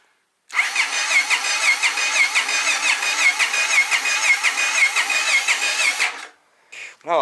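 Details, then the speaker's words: 1997 Honda XR650L, first attempts after purchase, full choke: about six seconds of strong, even starter cranking that never fires. Fuel smells of varnish, tank nearly empty, petcock has no filter; owner suspects fuel starvation or carburetor, unconfirmed. "it's got enough power to crank it over if everything was going right"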